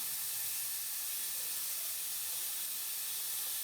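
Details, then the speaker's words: Toyota Tundra Hybrid engine cooling system under vacuum fill. A steady, even, high air hiss comes from the venturi vacuum tool; the radiator hose is collapsing and the vacuum is holding steady. It is working normally. "So I can see my hose is collapsing there now, and my vacuum is starting to hold steady."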